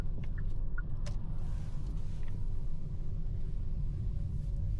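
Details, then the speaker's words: 2025 Hyundai Sonata on a road test after repair, turning left where a front-end rattle was previously heard (main harness earlier replaced): only steady low road rumble, no clunks or rattles; no front-end rattle. "And it's gone. It's gone, guys. It's gone. I'm pretty happy."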